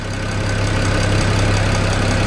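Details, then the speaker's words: 2008 BMW 335i N54 twin-turbo inline-six at warm-up idle: fast, even, loud ticking from the high-pressure fuel pump under the intake manifold, normal until the engine warms and pump pressure drops, then it goes quiet. "that's your high pressure deal pump making a lot of noise but when it warms up it cuts the amount of pressure and it goes nice and quiet"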